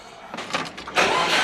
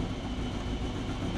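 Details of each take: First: Turbo Subaru Forester with Haltech Elite 550 ECU, fuel pump fuse pulled to drain the rails before fitting 980cc injectors: cranks, catches, runs rough and steady, then fades and dies as fuel pressure runs out, a stall from fuel starvation. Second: Turbo Subaru Forester on Haltech Elite 550 with new 980cc injectors and new O2 sensor, idle control just enabled, not yet up to temperature, lower radiator hose leaking; low, steady, even rumble with no misses or hunting: normal idle.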